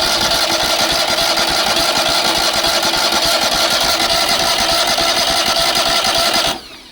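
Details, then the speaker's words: Long-parked trailer crane's gravity-fed small engine, jump-started: steady fast cranking churn at about three and a half turns a second, no firing; fuel pump not picking up fuel. "We are definitely in in the fuel here. Yeah, we're definitely in the fuel. It just won't pick it up."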